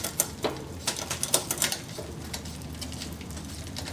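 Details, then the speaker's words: Bicycle front derailleur: light, irregular ticking and brushing as cranks spin, chain rubbing the cage plate in small chainring/small cog cross-chain gear. "so every now and again as i spin there you're hearing a little bit of chain rub going on now we are in what we call small to small which is high gear low gear on the front"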